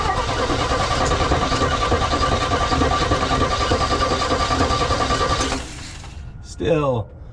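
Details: 1965 Chevy C10 with Rochester Monojet one-barrel carb whose accelerator pump is gone; starter and battery good, starter spins fast and evenly about three turns a second with no compression loading; owner suspects zero compression.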